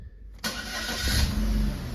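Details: A 2012 Holden Barina 1.4 Ecotec starts after its intake VVT solenoid was replaced and fault codes were cleared. It cranks briefly, fires promptly and settles into a smooth idle, with the rpm hunting slightly at first. Live data shows zero misfire counts; the start and idle are normal.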